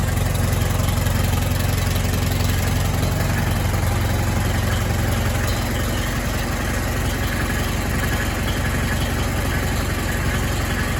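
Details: Allis Chalmers WD tractor after complete rebuild and final sheet metal assembly, started in neutral; steady low chugging idle with an even beat, no misses or knocks; normal idle.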